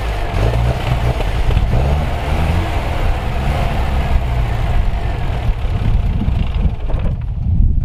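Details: Engine cranked with the key and ran strongly after storage, a strong low note with a steady rough beat and no knock or tick; clutch still frozen and tyres flat, but it sounds healthy.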